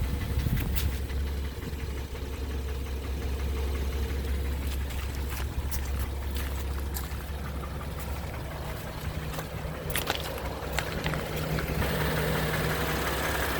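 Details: 2016 BMW X3 with 21 active engine codes: engine running with a low, uneven drone and irregular light tapping over it; abnormal engine noise, cause not pinned down.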